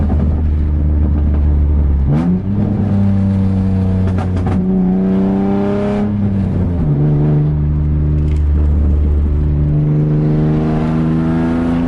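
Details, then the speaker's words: Nissan 350Z with a major exhaust leak that appeared suddenly while driving, sounding like open headers: loud, raspy, open roar rising and falling with each rev, described as a leak at the pipe joint near the headers. "that's how ugly it sounds right now my back bars are insane right now but that's not what I want"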